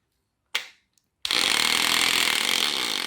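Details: Makita 8400D 9.6V cordless hammer drill on its original NiCd battery, after the corroded push-switch contacts were cleaned: a click, then a steady high motor buzz with a fast, even hammer rattle; it runs normally.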